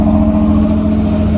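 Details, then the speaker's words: 1994 Pontiac Firebird 4th gen V8, after fixing a horrible engine noise, having sat about four months: even steady hum, constant pitch, no knocking; sounds healthy and much better than before, slight lifter tap called normal for this engine. "That sounds a lot better than what it did. That sounds healthy, wouldn't you say? I would say so. Absolutely. It's got a slight lifter tap, but that's normal for this engine."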